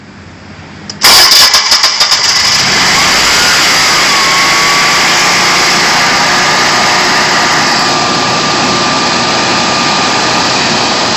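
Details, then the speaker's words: 20 kW whole-home natural gas outdoor standby generator with its front cover off, switched to manual run: cranks and catches at once, then holds a loud, steady, even run with a constant whine and no misses; healthy start and run. "right it's a little bit loud"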